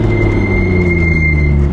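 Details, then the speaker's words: Nissan R32 GTR with BBS wheels, coilovers and wider tires, braking to a stop: a thin, steady high squeal holds over road rumble, then cuts off. The pads are still full; the owner wonders if they are dirty. It now squeals at every stop. "Like they used to squeak a little bit, but now it's like every single time when I come to a stop sign or a stop light and I hit the brakes,"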